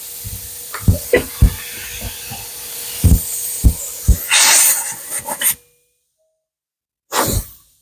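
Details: LG refrigerator with high-side leak, condenser being replaced, system flushed before filter dryer fitted: short bursts of airy hiss with handling clicks as gas is blown through; line flows freely, soldering checked good.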